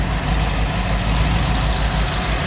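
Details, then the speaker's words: GM LS 6.2 V8 engine on a run test, warming up with 39 lb oil pressure: deep, even idle rumble with a steady beat, no knocks or ticks; healthy, good-running engine. "this thing is running well we are very very happy with this this engine is a good runner"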